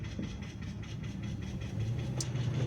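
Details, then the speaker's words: Engine after sitting a while, heard while driving: quick, light, even ticking over low engine hum and road noise; owner expects the tapping to fade once oil circulates, though it could be other causes, not confirmed. "You can hear the tapping of the engine because it was sitting a little bit. I just have to wait till the oil gets through there."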